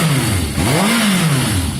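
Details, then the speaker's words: Normal revving of a Yamaha XJ550 warming up after carb cleaner treatment, choke off: quick throttle blip, revs rise cleanly and drop smoothly without stumble; slightly smoky from cleaner, idle a touch low. "It's revving very strong. Woo! Touch smoky, guys, but remember I've just put cleaner through the carb, so that's going to be working its way out."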